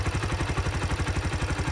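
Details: 2005 Kawasaki Eliminator 125 after replacing the leaking petcock, fuel set to prime, choke used: even putter at about twelve beats a second, no misses or stumbles; normal healthy idle, no leaks.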